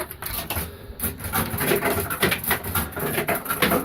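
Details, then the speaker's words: Maygay fruit machine with M!b board and £10 stake key: short clattering bursts as both £1 coins drop back through the coin mech; both coins rejected, apparently because it thinks it is full, cause unconfirmed. "you can see, it backed both of, if you're here maybe, it backed both of the pounds, so it thinks it's full now."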